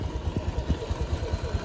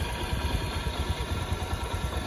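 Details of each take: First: Honda Beat injection, bored up, stock exhaust, after CVT service with rollers and clutch shoes cleaned: even, steady low idle with no rattle or scraping from the belt drive, now running smooth. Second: Honda Beat injection, bored up to 130cc, stock exhaust, before CVT service: low, lumpy idle with an uneven throbbing rumble from the CVT, sounding rough and due for cleaning.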